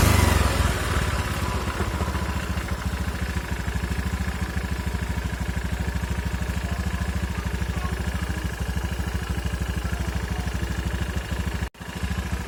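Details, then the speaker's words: Scooter just reassembled with reused CVT rollers and cover bolted back on, kick-started first try: single-cylinder idle with an even steady beat around two hundred pulses a minute, no drive rattle or slipping; very smooth, normal. "Nyalakan Wi hanya kali starter kaki langsung nyala Coba kita gas bunyinya halus banget"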